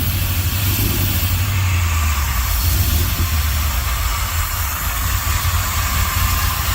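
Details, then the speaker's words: Hot rod V8 at first run after the TDC timing was corrected, throttle cable not yet connected: deep, lumpy idle with dropped pulses from a couple of dead cylinders. Owner suspects rust in the fuel line plugging an injector; not confirmed. Misfire. "And it's got a a little running issue I got to figure out. Couple cylinders aren't firing. Might be rusting the fuel line plugging up the injector, but it is running."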